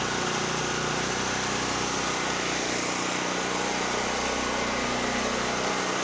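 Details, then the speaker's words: Generac GP5500 generator, formerly a no-start (brake-clean straw in the carburetor; on-off switch suspected), running warm loaded with a 1,500 W heater and 1,270 W heat gun, checked on a kilowatt meter: steady, rough-edged drone at constant speed, no misses or stalls. Normal running. "So I did have a 1,500 watt heater on there and a 1,270 watt heat gun. And you could hear it loaded a little bit. Powered through."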